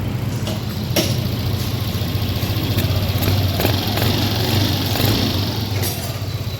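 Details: Yamaha Lexi scooter with a hard cold start and no engine check light, started without throttle after its error cleared. The single catches and settles into a steady, even low putter with no misses or knocks, a normal start and idle.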